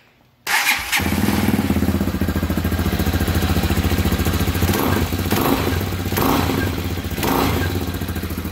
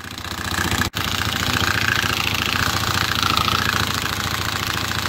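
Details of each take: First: 2020 Hawk DLX 250cc EFI single-cylinder motorcycle, after refitting the centrifugal oil filter nut that had backed out and caused an engine rattle: quick start and steady, even idle thump with the rattle gone. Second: 2020 Hawk DLX 250cc EFI motorcycle at 439 miles, engine suddenly rattling: busy metallic rattle over single-cylinder beat; centrifugal oil filter nut backed out and spun loose, metal found in oil; risk of catastrophic engine failure.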